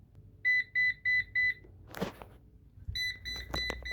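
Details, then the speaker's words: Eufy RoboVac 11C on its dock: four quick high beeps and red light about 30 seconds after reaching full charge, repeating; caused by a failing battery. "see like 30 seconds after it said it's fully charged on the app it's now starting beeping and red light again"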